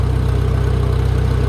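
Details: Farmall tractor started with no choke: even, steady low chuffing idle with no misses or knocks; normal idle.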